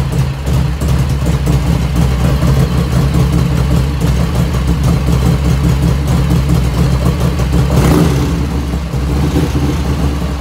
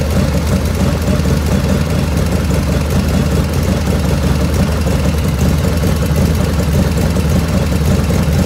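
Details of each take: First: 1985 FXR started cold at about 49°F after a float setting: an even, loping V-twin idle with a deep steady thump, running clean. There is no lifter ticking at first start; it appears later as the engine warms. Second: 1985 Harley FXR V-twin at warm idle after a float setting, about 49°F ambient: light, rapid ticking rides on top in time with engine speed and grows as the oil warms; owner blames the S&S hydraulic lifters, not oil restriction, with the rear intake lifter noisiest.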